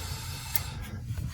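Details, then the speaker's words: Gas fireplace whose main burner won't light with the wall switch: TH and TP/TH terminals on the gas valve jumped with a paperclip; faint click and soft whoosh over a low hum as the valve opens and burner lights; fault traced to wall switch. "if i touch those two with this paperclip and again it's very low voltage you can hear the gas valve turn on and my flame turns on"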